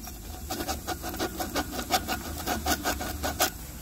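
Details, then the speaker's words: Ford Focus DPS6 dual-clutch teardown with code P2700: the clutch release bearing spun by hand gives dry, gritty rasping in uneven strokes and was about to fail. This came with a catastrophic clutch failure and debris in the bell housing. "yeah it does but uh that bearing was about to explode"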